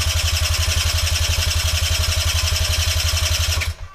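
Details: Sinnis Eagle 50cc moped, non-runner: fast, steady starter chug turning the engine over for several seconds with no catch or firing before it stops; cranks but won't start, spark later confirmed present.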